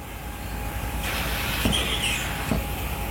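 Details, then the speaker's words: After fitting seal tape to fix a vibrating water pipe, water flows with a steady hiss and no knocking or rattling as the float valve is moved through various positions; water hammer gone. "Ini kayaknya berbagai posisi enggak ada masalah ya."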